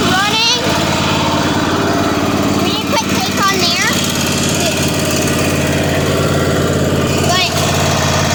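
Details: Free Weed Eater garden tractor, Tecumseh TVT691 two-cylinder, just refreshed with new oil and filter, running on gas after warm-up and charging: fast, smooth, even drone with no misses or knocks over several seconds; normal running.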